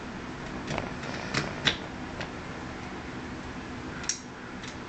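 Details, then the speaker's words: Etek 3 paintball marker just fitted with an Emortal Board, battery in, test-fired in a quiet room: handful of crisp sharp solenoid clicks; working normally after install. "Alright, now I'll turn it on here so you guys can see that. Nice, looks like everything's working."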